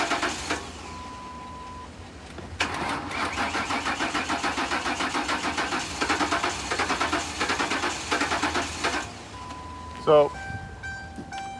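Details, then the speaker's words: 2008 Ford Crown Victoria Police Interceptor out of service almost 2 years, 158,000 miles, low battery, fuel poured in the intake: fast even cranking, catches briefly with a steady misfire and dies; no-start, cause unclear. "Um, the engine sounds like it has a steady misfire. It's not happy. Let's see. It starts up and quickly shuts off."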